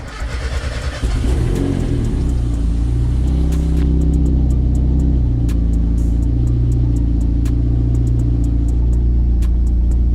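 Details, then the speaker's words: Miata just jump-started on its old ECU, warming up to bring on the fans: after a rev it settles into a steady fast idle with faint, irregular light ticks on top; a lifter tick is suspected and expected to clear up. "I just wanted to warm up kick the fans on have a little bit of a lifter tick it sounds like right now but that's clear yourself up in the future"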